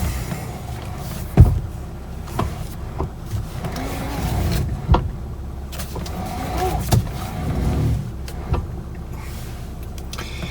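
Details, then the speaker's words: 2013 Toyota Avalon after replacing the mid steering shaft, parked in the driveway: turning the wheel fully right and releasing gives single dull clunks from the steering column. The owner suspects the upper column coupler; cause unclear. "so when I go all the way to the right and then release I can feel just a little bit of a clunk and there's still that noise that may be up in this top part of the of the steering column"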